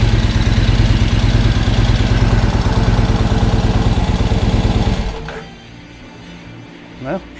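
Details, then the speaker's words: Excelsior-Henderson with H5 cams and high-compression pistons, after fitting a high-output fuel pump: strong, even low thumping at steady idle for about five seconds, then shut off; sounds healthy. "I mean, so far so good right now. It sounds like it's supposed to sounds like the original pump, but uh yeah, I don't know. Seems like it's fine to me."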